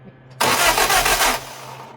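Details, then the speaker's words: Lotus Europa Twin Cam with 123 Ignition distributor and Stromberg carbs, first start attempts: single harsh ragged one-second burst that dies without catching; suspected distributor/timing trouble, valve clearances off. "Stupid distributor. That was horrible."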